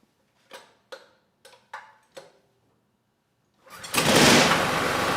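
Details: Rebuilt Honda GX390 clone 389cc engine from Generac GP6500 generator, dropped valve repaired with hemi head swapped to standard head, choke closed, governor tension reduced: five recoil pulls, fires on the next, settles into steady, even, slightly slow run.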